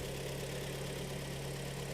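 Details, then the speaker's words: 2013 car at about 140,000 km, cold engine idling in a cold garage: dull rapid tapping knock under the steady hum, piston slap heard on cylinder four, brought in for an engine overhaul. "вот сейчас по успокаивается и уже слышно перекладку вот четвёртый слышно долбит четвёртый"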